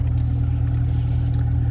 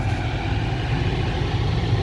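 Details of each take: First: 2009 BMW 750i cabin blower fan, cabin filter already replaced: steady low hum with faint even pulse that never rises despite speed set to maximum; fan stuck on lowest speed and sounds bad; blower fan and resistor to be replaced. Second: 2009 BMW 750i cabin blower, previously stuck on lowest speed, working after battery disconnect and reconnect: constant, even rush of air at full speed over a low idle hum with no ticking or scraping; normal operation.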